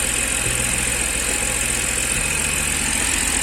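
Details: BMW engine with misfire/vibration problem, just after starting: uneven low idle beat that shifts in pitch partway through, engine shaking.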